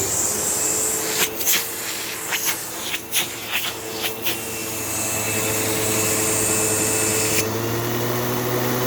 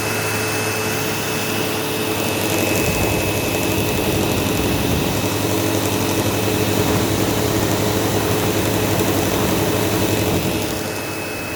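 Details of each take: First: Sebo Automatic X5 vacuum running on hose with a half-full bag: steady, even motor whine through hose movement with no surging or grinding, plenty of suction; brush roll issue still unfixed; normal suction motor. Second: Sebo Automatic X5 upright vacuum running on living-room carpet: steady high-pitched squeal over the motor roar, like a slipping belt.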